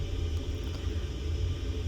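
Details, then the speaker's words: Baxi gas boiler giving lukewarm hot water, stabilising about 47°C despite 60 set; burner makes a deep, ragged, asthmatic roar as if starved of oxygen or gas; cause found to be low gas supply pressure. "Now, upon trying this boiler, it starts to make a horrendous, like it's asthmatic. Like it's starved of oxygen or gas or something along them"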